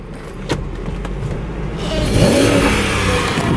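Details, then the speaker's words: V8 car at a dealer auction preview, parked with the check engine and brake lights on, being free-revved. Its pitch climbs quickly, then the rev limiter holds it back at about 3,000 rpm. "Yeah, that's only the 3,000 where the rev limiter kicks in."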